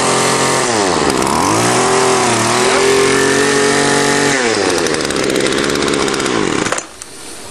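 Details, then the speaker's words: Two-stroke weedeater string trimmer after taking the carburetor apart and cleaning its varnished strainer screen: loud buzz revs up, drops and rises cleanly with no stumble or bogging, then idles; running right. "okay i've fixed the fourth one now it was just broken fuel lines and a dirty carburetor let's see if she fires up working perfect"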